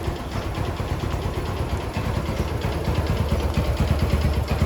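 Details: Yamaha Jupiter MX after replacing broken clutch parts with imitation part and new clutch plates; small single putters at steady idle, even low beat without rattles or slips; healthy idle after repair.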